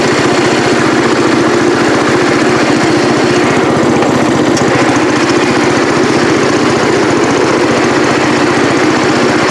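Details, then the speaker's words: Cub Cadet 108 single-cylinder: steady idle, firing evenly with no misses; normal running, though the carburetor float sticks and needs a rebuild. "so all right all right y'all there you have it got it running got it running up through the driveway here or up to the upper shop here"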